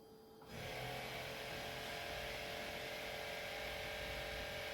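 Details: Mercedes E280 Airmatic compressor raising the car at 9.8 bar while the right rear strut is tested. A steady, even motor drone that starts abruptly; pressure later drops to 6.59 bar, a suspected leak.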